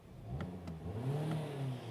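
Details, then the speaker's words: 2020 Hyundai Tucson 2.4L, driving and warm, after clearing code P1326: the engine pulls up cleanly with a smooth rising drone and no hesitation. Before, it would not rev past 1000 rpm; an intermittently failing knock sensor is suspected. "yeah, it revs fine now. It wasn't revving up before when the knock sensor code was in the engine computer."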